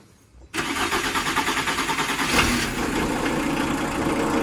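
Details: VW Transporter T4 at 390,875 km, first start after oil and filter change, air in the fuel system from the filter change: catches after a brief crank, then a slightly uneven, rough idle with a wavering beat; hard start.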